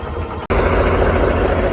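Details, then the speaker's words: British Chieftain Mk10 tank diesel, freshly fitted used starter motor, started after a spot of diesel: after a short gap it settles into a steady, even rumble with no hesitation; starts and runs fine. "Well, after a spot of diesel, it flashed straight up."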